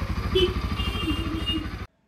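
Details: Bajaj Pulsar NS200 BS6 single-cylinder engine after repair of a broken rocker, cracked valve seat and failed bearing that shed balls into the engine: even, steady thumping idle with a regular beat, no knocks or ticks; healthy.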